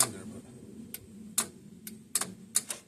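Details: Old single-cylinder Onan 3.0AJ-1R RV generator, generator head doubling as starter: sharp single clicks, about six in three seconds, no cranking; solenoid pulls in but dirty starter contacts stop it. Owner also doubts battery is enough.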